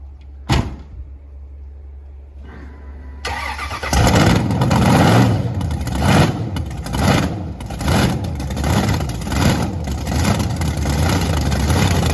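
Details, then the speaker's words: Blower Camaro launching hard: engine fires, then revs with rapid choppy pulsing and banging under load as the rear tyres hop; severe wheel hop, suspension needs fixing. "dude look at how bad it's wheel hopping every time you whip it is one of wheel hops yeah we gotta do suspension"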